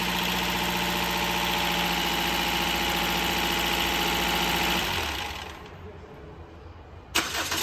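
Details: Toyota Corolla 2ZR-FE 1.8L, first start after an engine rebuild and reinstallation: it settles into a smooth, even idle with a steady hum and no knocks or ticks, then shuts off cleanly; normal idle.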